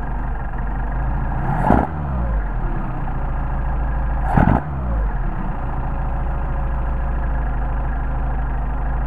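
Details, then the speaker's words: Mercedes 190SL with rebuilt Solex carburetors, after the linkage ball sockets are adjusted: two quick throttle blips, each dropping straight back to a steady, even idle with no hang. "and then you get to do the fun stop and you see you got back you come back to your idle"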